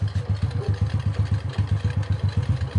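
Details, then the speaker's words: Restored Honda Wave 125i, full tank, started on first click after a week unused, new clutch lining and primary clutch: even steady idle thump about seven beats a second, no rattle or clatter; healthy. "Ang ganda ng tunog mga kadit, walang kakalakalansing."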